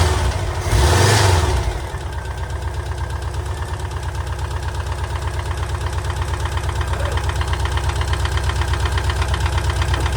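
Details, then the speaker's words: VW T25 Westfalia engine first start after sitting idle a few years, during water pump and thermostat replacement; rough idle with sharp rhythmic puffing tick about three a second over deep rumble; nasty engine blow, location not yet found. "We've got life, we've got a nasty engine blow. We'll find out where that is."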